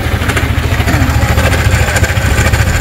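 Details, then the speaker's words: Yamaha Sniper 155 at 56,600 km with check-engine light on; rough idle with a fast, light ticking rattle riding over the exhaust beat. Mechanic first hoped for a loose tensioner, then suspects a failed cam bearing, or something on the magneto side. "Samahan tunog oh. Parang hindi ko maintindihan kung nasaan ang problema. Parang sira ang cam bearing, parang sira ang tawag dito sa may magneto."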